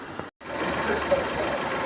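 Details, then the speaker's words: Ford Ka engine at idle after a broken timing-belt tensioner was replaced. Before the fix the loose oil-bathed belt made a loud noise; now a steady, even idle with only light, regular valvetrain ticking and no belt slap. "Ó, o carro funcionando sem barulho. O carro assim, dessa forma, ele já fazia um barulho danado. Ó, carro sem barulho. Fazendo um barulho normal aí."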